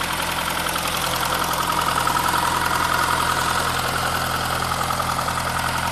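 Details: 2001 Saab 9-3 Viggen engine at idle: steady fast regular ticking about three or four per second, began after running out of fuel; sometimes grinds at start then stops; DI cassette swapped, noise persists; source undetermined.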